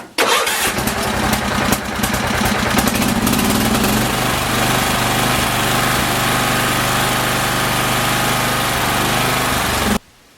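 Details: 30-year-old MTD Yard Machine riding mower, checked through a 10-point list, choke out, in park, clutch down: catches right away after a brief crank, settles into a steady, even idle until shut off; normal start and idle.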